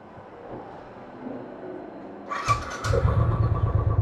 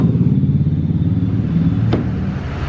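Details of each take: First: Royal Enfield Classic 500cc with misfire problem, owner attributing it to a small sensor's position: starts on second try, then idles with uneven thump and skipped beats; engine misfire. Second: Royal Enfield Classic 500cc after repositioning the sensor lower to fix a misfire, restarted: deep, even single-cylinder thump that picks up cleanly and holds steady with no stumble or missing; runs normally after the fix.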